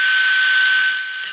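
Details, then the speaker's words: Old Philips radio after fitting the missing oscillator coil and replacing the band switch: a steady hiss with a thin constant tone, and the set is working normally again. "ഇത് മാറ്റിയത് എന്ന് പറഞ്ഞാൽ band switch മാറ്റിയിട്ടുണ്ട് അതുപോലെതന്നെ ഇതിനകത്ത് oscillator coil ഇല്ലായിരുന്നു നേരത്തെ ഇളക്കി മാറ്റിയിരുന്നതാണ് അപ്പൊ ആ ഓസിലേറ്റർ കോയിൽ കൂടി ഇട്ടു കഴിഞ്ഞപ്പോൾ ഓക്കെ ആയിട്ടുണ്ട്"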